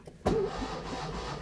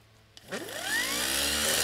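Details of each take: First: Fiat classic car, starter switch used with ignition switched off: the starter whirs and turns the engine over steadily with no firing, so it cranks but cannot start for lack of ignition. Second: Starter motor with a cable-operated (pull-rope) switch rather than a magnetic solenoid, bench-run on a classic car starter: two quick bursts winding up to a steady high whir and coasting down cleanly; spins freely, normal.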